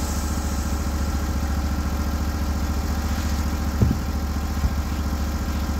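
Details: Norwood HD36v2 sawmill with new roller guides replacing the ceramics, cutting black oak hardwood: the engine holds a steady, deep drone with only a couple of brief clatters. The cut is smooth and exceptional; normal cutting under load.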